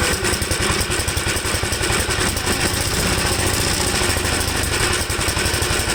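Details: 1954 Gravely single-cylinder with a carburetor problem after carb cleaning, started with choke; it seems to run rich and stalls when leaned; loud chug stumbling and beating unevenly; cause suspected, not confirmed.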